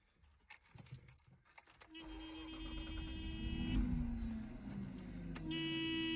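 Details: 1984 Mazda RX-7 GS 12A rotary, cold morning, new battery, fresh gas, using starter fluid: rapid uneven cranking about 200 per minute briefly tries to catch, then won't run. Owner plans a compression check and maybe new plugs.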